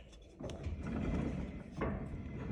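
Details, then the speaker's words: 2005–2021 Nissan Frontier rear axle, wheel off, axle turned by hand: low rough grinding swells with each turn, a roller bearing causing a howl; possibly needs a differential oil change or a bearing replacement. "You could try just a differential gear oil change, but it actually might need to be the throw out bearing that's inside of this might have to be replaced. And that's done at a specialty gear shop. You can hear it grinding right there."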